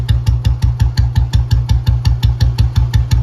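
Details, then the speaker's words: 2009 old model Bullet 350 after restoration, idle rpm just lowered a little: even, deep, steady thump with no knocks or misses, called the real standard sound. Normal idle. "यकल ने कर भी दिया थोड़ा सा लो वही से yellow सुनो या असली स्टैंडर्ड की आवाज है"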